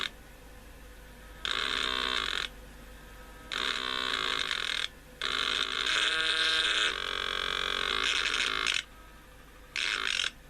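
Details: Sokol 403 9V transistor radio, previously connected to 220V AC mains, during repair: loud bursts of harsh hiss and crackle cut in and out every second or two over a quiet background; intermittent crackling, possibly a scratchy control, unconfirmed.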